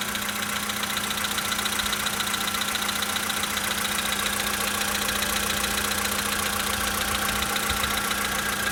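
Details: 2013 VW Polo Sedan Sochi Edition, 65,000 km, cold start idle: sharp regular ticking knock about two or three a second over a thin engine hum; engine knock when cold, cause unknown.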